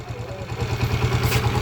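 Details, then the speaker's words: TMX 155 pushrod single-cylinder motorcycle idling and revved, harsh rough clatter over a low even beat; timing gear very noisy, cam follower, pushrod, tappet screw and valves still to be checked; rough, clattery idle. "Sobrang ingay na nung kanyang timing gear. Ayan timing gear."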